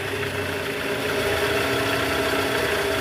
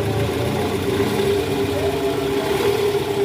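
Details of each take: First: 2009 Toyota Vellfire/Alphard 2AZ 2.4L petrol engine: faint, uneven rattle ("krrr") from the oil pan area at idle, worst on cold morning starts, in D/R and with A/C on; heard with a stethoscope, and the balancer shaft was found loose and worn. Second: 2009 Toyota Vellfire 2.4L 2AZ after the worn, loose balancer shaft was replaced. It previously made a rough "krrr" from the oil pan area on cold mornings in D/R with A/C on. Now a smooth, even idle checked in reverse; normal idle.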